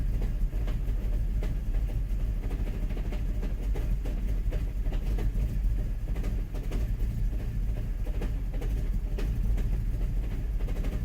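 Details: Mk5 GTI, cold start after new front and rear PCV, idling with a low rumble and irregular stumbles; rough cold idle, cause not pinned down.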